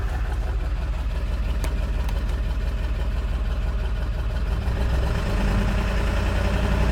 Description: This rough idle just started!